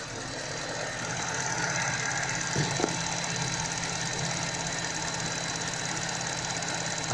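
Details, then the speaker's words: Car accessory/alternator belt that squealed in cold weather as stiffened rubber slips on pulleys, after spraying silicone grease on the belt: steady even idle with no squeal or chirp; belt now runs quietly, temporary fix. "я покажу как обычной смазкой силиконовые устранить данные неприятные звуки вот здесь куда сохранить вот всё прекратилось"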